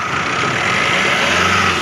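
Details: 2020 Tata Nexon with fully dead battery, started by jump start: engine catches and settles into a steady, even idle with slight hiss on top; runs smoothly, nothing abnormal.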